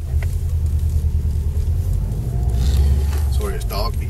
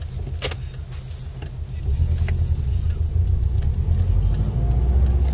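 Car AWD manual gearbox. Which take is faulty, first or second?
second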